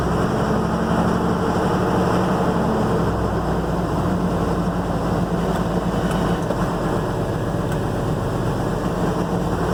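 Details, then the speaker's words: 2007 Ford F750 with 5.9 Cummins diesel and six-speed manual, check engine light on: uneven, loping rough idle, a misfire traced by scan to a faulty number 4 injector, which was replaced. "this one has a check engine light and has a rough idle"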